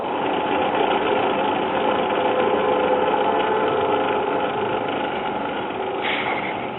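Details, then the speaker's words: Late-1960s blue Telex-Phonola portable record player, likely never used: a steady dry scraping rumble under the spinning platter; the drive mechanism's lubricant has dried to powder and needs relubricating, and the cartridge is dead. "so for the drive mechanism could stand to being lubricated and the cartridge is dead see when I spin the platter"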